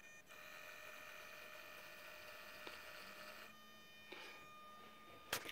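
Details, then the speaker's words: DIY follow focus for DJI Ronin MX gimbal, standard digital RC servo on 2S 7.4V LiPo via 5V regulator, joystick-controlled: high thin whine stopping and restarting with each focus move, then a sharp click; noisy servo gear whine. "this is this one's pretty noisy as you can hear kind of makes your camera's audio useless"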